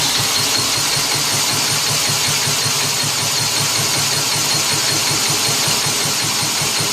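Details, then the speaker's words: 1959 Mitsubishi Silver Pigeon engine after reassembly (head re-torqued, pushrod tubes fitted) being cranked by drill: fast steady cranking with faint pops, firing weakly but not catching; spark believed present, compression feels higher. "Here we go. Want to hear it pop. And it does feel like I have more compression."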